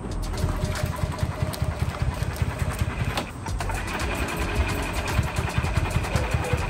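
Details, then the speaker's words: 2013 E-Z-Go (Textron) electric-start gas golf cart, small single-cylinder engine, after fresh clean gas: chugs with uneven, stumbling low pulses instead of a steady beat; running rough, cause not yet known. "see if we can't figure out why it's not running right"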